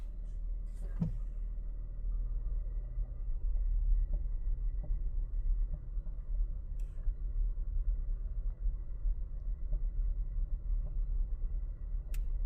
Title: 2026 Honda Passport TrailSport Elite Clunking Noise Heard from the Front Suspension.